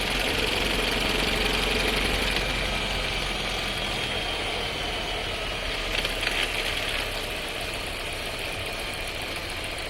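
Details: New Skoda Scala 1.5 TSI with dry-clutch DSG, six months old, about 3500 km, heard in the cabin when starting off: a fast, fairly regular rattle over engine and road noise, with vibration felt; transmission suspected, undiagnosed.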